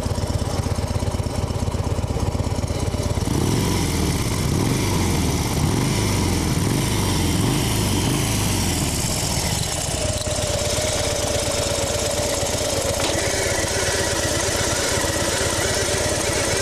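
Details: 2010 Harley-Davidson FXD Super Glide V-twin running with a rough, gritty grinding over the exhaust beat from the primary drive side.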